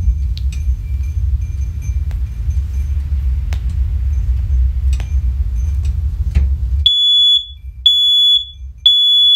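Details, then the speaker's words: First Alert OneLink hardwired smoke alarm from a collection, test button pressed: three loud shrill beeps about a second apart, noticeably louder than the other units; working alarm. "yeah see how much louder that is that's heck a lot louder"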